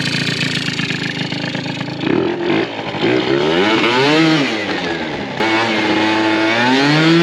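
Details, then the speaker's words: Yamaha Zuma prebug two-stroke scooter, new 70cc Stage6 big bore and Polini crank in break-in, barely warmed up, carb untuned: crisp revs with thin buzzy slightly hanging note; running a tad lean. "Running a tad lean, as you can hear."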